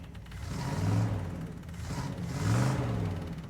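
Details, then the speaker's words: 1977 Dodge Adventurer 318 V8 with new carburetor, first run in about two years, put in drive: deep, even rumble rising and falling smoothly with two gentle revs, no knocks or misses; engine sounds healthy. "yeah that sounds good just a 318 engine"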